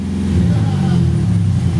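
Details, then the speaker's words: Van idling with a low, slightly uneven lope and nothing mechanical on top, white smoke of raw fuel from the tailpipe: the number five fuel injector is stuck open and always on, flooding its cylinder, not a head gasket fault. "you can't mistake white smoke white smoke does not always mean head gasket this is raw fuel from a stock open number five injector"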